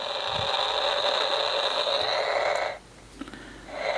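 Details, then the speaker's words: Homebuilt AM superheterodyne receiver with antenna on clip leads, not wired in: constant hissing static with steady tones cutting out and returning, no program; station not received, owner doubts the static comes from the bench. "there's a lot of static right there and I'm not really sure where that's coming from"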